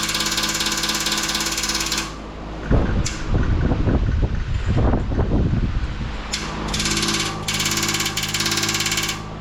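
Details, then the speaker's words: 1959 Westinghouse AM 17-2 pedestal fan, heavily worn motor with shaft end play, running on one speed: steady hum breaks into loose irregular clattering then smooths; owner suspects motor bushings and shroud rattle. "Well, let me see what we can do here with the shroud so it doesn't rattle. Yeah, I think it's the bushings in the motor that's making wind noise in the camera, but it runs nice and smooth like that."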